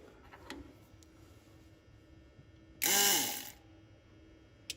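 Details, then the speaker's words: 1953 Mack A40 with swapped-in 24-valve 5.9 Cummins diesel from a school bus, new fuel lift pump: short sharp electric whir under a second at key-on, pump primes then stops, more than the old pump gave; normal priming run. "yeah I think that might be all you get until you crank it that's more than the other pump gave us"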